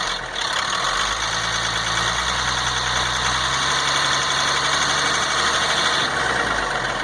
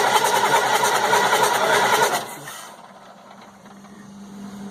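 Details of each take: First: 1998 GMC C8500 with Caterpillar 3116E diesel, after fixing transfer pump sucking air: clatters at idle, revs smoothly and settles evenly; runs normally, though later restarts failed with injectors not firing, ECM suspected. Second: 1998 GMC C8500 with Cat 3116E diesel: starter churns in even pulses about three a second for two seconds and never catches; no fueling, injectors not firing, bad ECM suspected.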